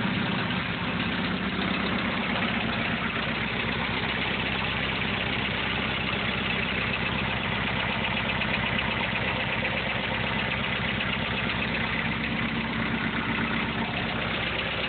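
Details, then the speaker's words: 1.6 TD diesel at idle, about 23 psi oil pressure: light quick tick through normal clatter, heard outside the car, not from the exhaust side; owner suspects lifter tick, not confirmed. "Can't hear it out the exhaust, so I know it's not an exhaust lifter."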